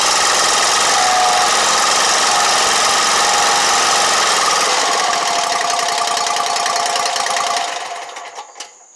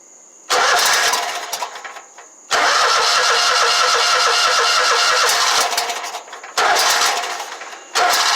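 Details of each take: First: Exmark Lazer Z 72-inch commercial mower after no-start repair: steady even single-cylinder putter at fast idle, no surging, running on its own. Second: Exmark Lazer Z 72-inch commercial mower, no start: catches on gas squirted into carburetor throat and runs briefly in rough bursts before dying; spark and compression good, fuel solenoid not getting power.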